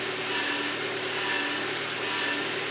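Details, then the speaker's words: VW Passat 35i, engine running: steady engine hum with a constant whine heard whenever steering, as the pump comes under pressure; failing power steering pump, replaced and system bled afterwards. "Lässt man den Motor laufen, hört man folgendes Geräusch. Und zwar hört man dieses Geräusch immer dann, wenn ich lenke."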